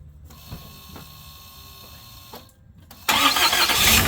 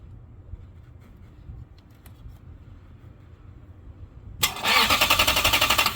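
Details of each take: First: 2004 Lexus GX470 after starter replacement, with new ground cables and heater hoses: engine catches instantly with no long cranking, no hesitation or delay, settling into an even idle; the new starter works properly. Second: 2004 Lexus GX470: sharp starter solenoid clicks, a pause, then bursts of fast cranking; delayed start blamed on bad starter contacts or starter, diagnosed after testing battery, ground cables and relay, fixed by starter replacement.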